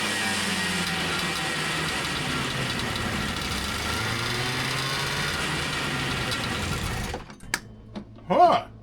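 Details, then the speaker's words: 1977 TX340 two-stroke grass drag sled revived after a decade stored; steady buzz dies abruptly when brake applied, drive belt dragging because secondary clutch is stuck. Engine stalling from dragging belt, stuck secondary clutch. "Hit the brakes and she stalls. Interesting. Let's try that again. That belt is definitely dragging."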